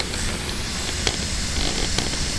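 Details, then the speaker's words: Propane tank being purged: valve opened, steady loud unbroken hiss of escaping gas, no engine; old valve packing and the fitting both leaking, confirmed with bubbles. "first off we're just gonna open and listen here it that's leaking like crazy somewhere"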